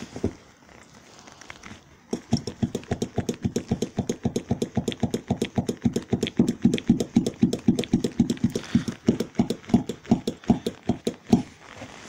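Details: Chery Fora, new Trialli gas-oil rear shock absorbers fitted and bled per instructions: sharp regular knocking about four per second as the rear is worked; new rear shock knocks, older replaced one doesn't.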